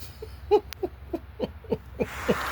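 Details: 2003 GMC Denali rear brake with a part missing from the back side, giving a rhythmic hooting squeal of about three chirps a second; pad worn to metal with a damaged rotor, fixed with new calipers, pads and rotors.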